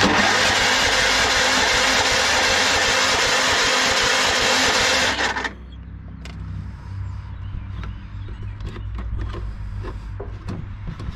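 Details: Yardsman lawn tractor, 15.5 hp Tecumseh with plastic-bowl carburetor, weak battery: steady cranking about three beats a second, never catches; fuel not flowing, won't start without priming, sat long with carburetor empty.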